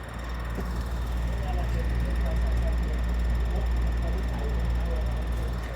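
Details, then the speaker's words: Kool Flo floor fan with few hours of use: constant low drone with a thin steady whine; motor sounds rough, owner suspects it is burning out, cause not confirmed. "and now that motor is making an awful noise i don't know what that noise is about probably about the rate it burned out or something and it hasn't gotten a lot of hours"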